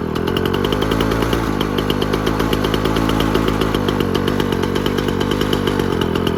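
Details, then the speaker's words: Freshly fixed 1957 Jawa 550 two-stroke (peak power 1.6 at 5000 rpm) started, giving crisp, rapid, even popping at a steady fast idle with no misses or knocks; normal running. "so as a last little thing let's get her started so you can hear what she sounds like now"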